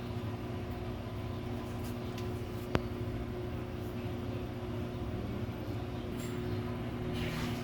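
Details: Samsung washer-dryer that was noisy and jumping, tested in the spin cycle after both shock absorbers were replaced: an even, steady drum hum with only one faint tick and no banging or thumping; a quiet, smooth spin.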